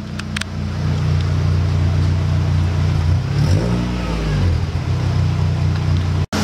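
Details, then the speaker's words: Mk3 that usually stalls when put in gear, worst in reverse, and with AC on; now in gear with revs rising and falling, no stumbling or dying out: normal running in gear. "That sounds way better, doesn't it? I don't hear it dying out."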